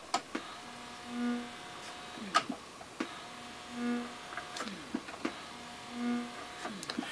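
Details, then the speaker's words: Jensen JTA-460 turntable playing a 45 rpm record on phono input: a short low buzz appears each time a record is cued. Owner suspects motor-startup interference picked up by unshielded audio cables, not confirmed. "That is heard every time you go to cue a record. I don't know what that is, if it's just some interference that's being picked up from the motor starting up and engaging, and it's possibly being picked up by unshielded audio cables"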